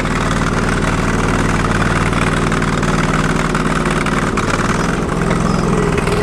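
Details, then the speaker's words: Sears Suburban loader with a 20 hp Briggs & Stratton Vanguard V-twin, limping back after plowing snow, smoke easing: loud, uneven lopsided running with missing pulses, firing on one cylinder, before a backfire and aluminum shards. "Not much for smoke now. Definitely running on one cylinder."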